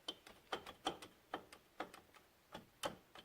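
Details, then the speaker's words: 2012 Polaris Sportsman 500 HI: sharp metallic clicks in pairs as the wheel is rocked by hand, the knock of a shot, loose wheel bearing; all its wheel bearings are loose. "And this bearing, hear that? Shot, like I said."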